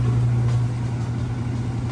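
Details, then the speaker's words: Maytag top-load washer, final spin, speeding up as clothes lighten: smooth even low drone at high speed with no knocking, banging or grinding; normal, well-balanced final spin. "speed now to get a little bit faster as the clothes get lighter and what I'm going to do is lift the lid up and show you that it is spinning nice and fast"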